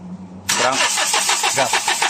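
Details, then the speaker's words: Hyundai H100 CRDI diesel with hard starting and low power, fuel return lines removed for an injector check: the starter churns steadily with no catch; the number one injector shows strong return flow and is faulty, so it will be replaced. "Malakas yung number one. So papalitan lang natin ng injector number one."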